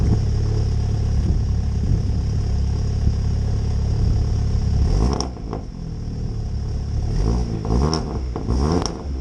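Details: MK7 Golf GTI Performance Pack, first start after middle-box resonator delete (rear box kept); deep steady idle, then a few quick clean rev rises and falls with a louder, throatier exhaust; normal idle with throttle blips.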